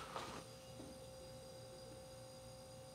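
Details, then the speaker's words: Ewave (Magic Chef) MCWC30MCG small wine fridge compressor; quiet, steady hum with faint even tones, no clicking or rattle, liquid line warming: compressor running normally. "and our liquid line on the other side is starting to get warm so this thing seems like it's functioning all right"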